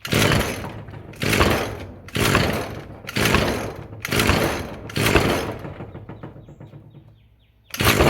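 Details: Roadside-found Echo SRM-210 two-stroke string trimmer, first start on choke after fresh-fuel rinse and new purge bulb: buzzes up in bursts about once a second, then sags and dies when throttle drops; won't idle unless held up, idle screw bent and set too low.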